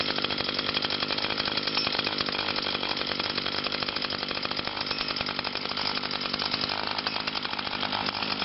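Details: 2011 Echo PAS 230 22.8cc two-stroke, cold and still breaking in, holds a high, buzzy, steady note with no misses or surging; normal running.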